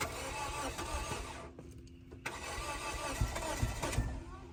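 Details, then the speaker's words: 2004 Scion xB sat two years, weak/dead battery, fuel gauge on E: slow, uneven starter churning with a few heavier thumps but never fires; cranks no start, owner suspects no fuel. "Poor thing wants to run. You know, it may not have any gas. It's actually on E."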